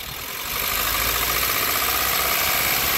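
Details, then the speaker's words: Nissan Sunny E-series engine revved in a plug-lead drop test; rattle vanishes into an even roar with number two's lead off and is nasty with others off, pinning the knock on cylinder two; big end bearing knock, cylinder two. "four oh that's nasty that's properly nasty that set is definitely number two"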